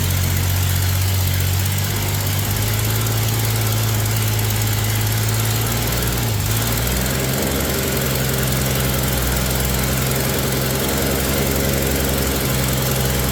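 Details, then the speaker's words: 1965 Mercury Comet Caliente, not run in 10 years: loud, uneven, loping idle from ignition timing set too retarded at 6; advancing it to 12 makes the idle smooth right out. "All right. At 6, I bumped up to 12, you can hear it smooth right out."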